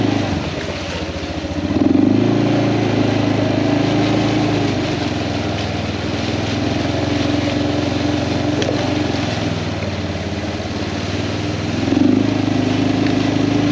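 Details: Kawasaki Prairie 400 single-cylinder ATV after engine rebuild, on a test ride, camera on magnetic base: steady thump, picks up cleanly on throttle blips, no rattles; runs fantastic; carburetor float still needs adjusting; normal running.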